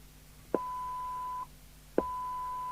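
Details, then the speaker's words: 1981 Harvard 420M UK FM CB radio (Cybernet 134 chassis), being serviced after a modification that left it hissing constantly: squelch now opens cleanly with a click, holds a steady tone, then shuts sharply to quiet; normal operation. "I know it's nice to hear squash action back on this radio"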